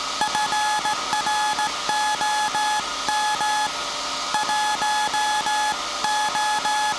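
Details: SAQ Grimeton 1924 Alexanderson alternator, 17.2 kHz VLF CW centennial transmission, punched-tape transmitter soon handing over to manual telegrapher keying; clean steady beep near 850 Hz keyed in dots and dashes, quiet room behind; normal Morse transmission.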